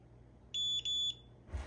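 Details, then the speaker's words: Fire panel after mains power is removed during monthly testing: two short high-pitched electronic beeps in a quiet room, the trouble signal for lost AC power. "if we really want to get real fancy we could test the security system see when it realizes that AC is lost"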